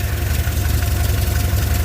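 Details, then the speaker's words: Skoda 120 after an oil change replacing old fuel-diluted oil: steady, even low idle rumble with no tapping; it sounds much less tappety than before. "yeah the old oil it been in there for a while it been uh dileted with fuel with things starting and stuff in and that that sounds so much better"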